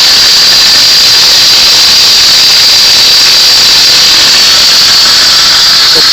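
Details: 1998 Saab 900 2.0 turbo running: steady high-pitched whine from the belt area, from the worn idler pulley, not the turbo as the seller claimed; fixed by replacing the idler pulley.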